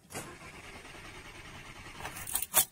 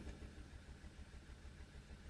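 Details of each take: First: Audi TT petrol with P0304 cylinder 4 misfire and that injector shut down, all coils disconnected for a cranking test: engine cranks with a steady, even rhythm, no cylinder sounding weak; compression normal on each cylinder. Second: Audi TT with P0304 cylinder 4 misfire and injector shutdown idles with an uneven, lumpy stumble several times a second; plug and coil swaps ruled out, low cylinder contribution; the finding is misfire from low compression caused by a head gasket fault.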